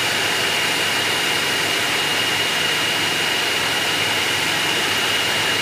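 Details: Hyundai Aura ventilated seat cushion fan on speed 3, recorded at the seat: steady rushing airflow with a thin, constant high whine and no pulsing or rattle. Normal fan noise.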